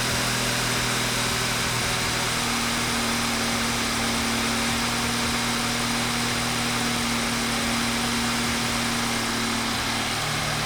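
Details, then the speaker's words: 2013 BMW F30 328i N20 after timing chain assembly replacement, not run for about 6 months, just after first start: smooth, even idle with a steady low hum, no ticking or rattle and no exhaust smoke; engine running healthy. "there's no smoke or anything at the exhaust either let's let it run for a bit and see what happens"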